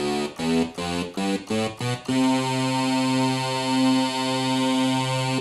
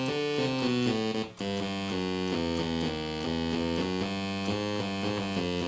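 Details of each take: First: Sequential Circuits Prophet 5, about 35 years old, after oscillator repair for random out-of-tune notes: voices in unison give short chords then a steady, clean held note with no beating; oscillators still in tune after an hour. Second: Sequential Circuits Prophet 5 synthesizer after restoration, before repair: a steady run of keyboard notes where some pitches land off and sour seemingly at random, on particular keys, typical of a drifting voice oscillator.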